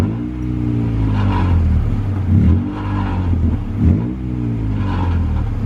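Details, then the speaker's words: Acura Integra revving up and down: brief tinny rattle near each rev peak, present for about a month; owner first suspected flywheel cover, now guesses a loose heat shield, not confirmed. "Alright guys, so for about a few weeks already, or about probably a month, I've been having like this weird rattle. If you want to hear it, it's like an exhaust rattle. I don't even know what the hell it is."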